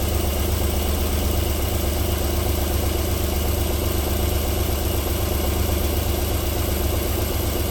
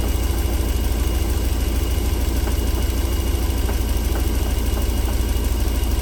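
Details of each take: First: Cold engine start-up idling nicely and silky smooth. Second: 1994 Alfa Romeo 3.0 24v V6, smooth when cold but warm after about four minutes; deep steady idle drone with faint light taps about three a second: engine knock returning when warm, cause unknown.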